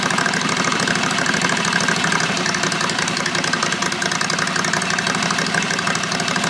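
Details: Predator 670 engine on John Deere 214 mud mower, cold start, muffler with only packing and no baffle: harsh, loud, rapid crackling raspy exhaust with hiss at idle; loud exhaust from missing baffle.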